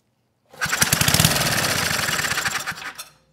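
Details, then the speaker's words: 34-year-old Tecumseh H30 engine on Troy-Bilt Tuffy tiller, first run with new plug, two-stroke oil in cylinder, valve cover off: quick even popping for a couple of seconds then dies; runs fine despite earlier compression concerns. "run nice perfect the engine it sounds good"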